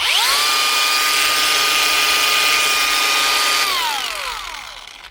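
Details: Bosch cordless grinder whose motor was rubbing inside and starting to burn, after a paper-shim fix: a clean, steady high whine spins up quickly, holds an even pitch and winds down smoothly with no rubbing or scraping; the motor runs healthy.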